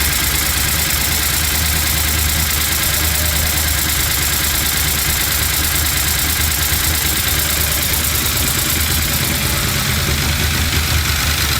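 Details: LS-swapped Chevy C10 with new lifters and reinstalled head gaskets and heads: quick light ticking over steady V8 idle following engine speed; valve train tap persists, code reader shows timing advanced, owner suspects cam was installed mistimed.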